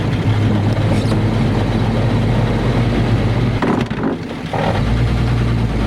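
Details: 1950 Ford F2 pickup, 4-speed spur-gear non-synchro crashbox, double clutched with some bumped shifts: steady engine drone, gear whine climbing through each gear, break at shifts; normal straight-cut gear whine.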